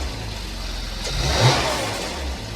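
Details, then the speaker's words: 2015 Porsche Macan, first start after timing chain replacement: smooth idle picks up cleanly through a short blip and drops back evenly, no rattle or chain slap; no check engine light, slight mist and minor coolant leak noted; normal idle and rev. "Alright, so it's got a little bit of a, I wouldn't even call it a mist to it, but there's no check engine light on. Everything seems to be working as designed."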